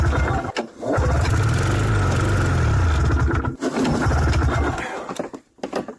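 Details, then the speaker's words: 1994 Yamaha VX500 two-stroke snowmobile, long unused, not pulling fuel from tank: cranks and catches in short ragged smoky bursts that die within seconds; starts only on starter fluid. "waa boy that's a lot of smoke but at least it's starting now I just need it to get and get it to run"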